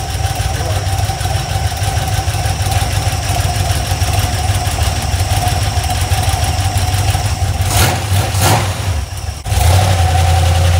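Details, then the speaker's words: Iron 5.3 LS LM7 V8, believed 2002–2003, mileage unknown, likely BTR Stage 2 truck cam, on a run stand on first start; slightly uneven idle with light quick ticking from lifters not yet pumped up. "the valve train sounds a little noisy you could probably hear it on"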